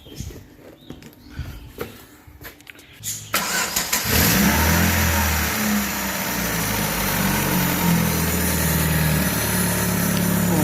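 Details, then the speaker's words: 2015 Chevrolet Aveo after retensioning a loose timing belt (earlier blamed on lifters or bearings): starter cranks briefly, engine catches and idles smoothly with no knocking or rattling; normal start and idle. "pueden escuchar amigos pues ya no tenemos ese ruido tan extraño que tenía la máquina"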